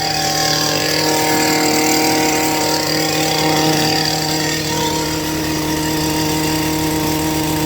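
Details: Stihl two-stroke hedge trimmer: it screams at a steady, high, clean full-throttle pitch with no stumbling or misfire. Normal, healthy full-throttle revving.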